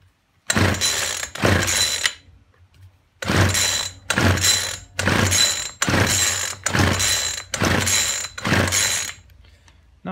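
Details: Poulan Weedeater Featherlite two-stroke strimmer, left standing a while, after fuel line replacement with the primer bubble full and fuel returning: eight quick pull-starts about a second apart, each a rattling spin with no firing. It cranks but won't start; the spark plug is checked next.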